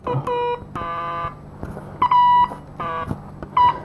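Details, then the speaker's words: Transistor from a 1964 IME 84 transistorized desk calculator, checked with an audio transistor tester against a known-good one: uneven buzzy beep bursts instead of the good part's steady tone; transistor bad. "this is supposed to sound like that it isn't this transistor is bad case closed"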